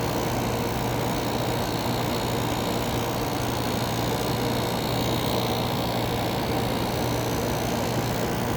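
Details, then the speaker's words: Kenmore 7000 BTU window air conditioner built by White Westinghouse in 2000, on constant cool on a hot day; compressor runs with a steady low hum and even fan rush, no rattles or clicks, quiet and cold, normal running. "that compressor gets pretty quiet yeah it gets pretty cold and also pretty quiet too"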